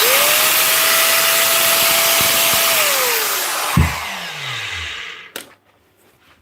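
Motor spins up quickly to a steady high whine, holds evenly for a few seconds, then coasts down smoothly; grinder runs fine.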